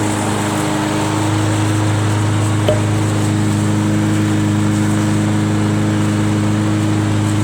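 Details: Free curb-pick John Deere JS63 mower, run to burn the tank dry for storage (about 25 minutes): steady, even drone with no misses, surges or knocks at constant speed; smooth normal running.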